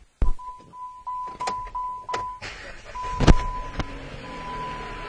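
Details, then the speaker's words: 2010 Chrysler Sebring, owner reports a one-time hard start and rough idle when cold, no check engine light: warning chime, brief crank, then catches and settles into a smooth, steady idle; normal quick start. "right you can hear it starts right up no problem engine seems very smooth"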